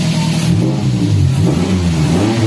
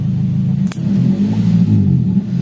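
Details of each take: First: Daihatsu Gran Max after the clogged catalytic converter was fixed: revs rise and fall cleanly, smooth and unrestricted. RPM sometimes hangs, so the throttle body still needs cleaning. Normal revving. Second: Daihatsu Gran Max revved at standstill: sounds choked and uneven, its pitch wavering instead of climbing freely. The catalytic converter is clogged.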